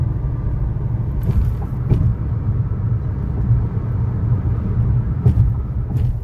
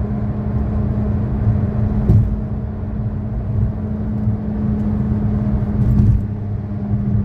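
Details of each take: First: 2013 Chevrolet Sonic, 75,000 miles, road test after replacing the front wheel bearings and lower ball joints: steady low road rumble, no growl, hum or speed-linked drone, just a few light clicks; front wheel bearing runs quiet. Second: 2013 Chevy Sonic, 75,000 miles, driving: steady low drone under road rumble from a bad left front wheel bearing; the passenger-side bearing is new.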